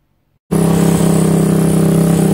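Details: YCF 125 Start pit bike with the old baffle partly refitted: the baffle is broken, badly made and unwelded, loose inside the silencer. Very loud, raw, blatting exhaust at a fast steady idle with hollow drone.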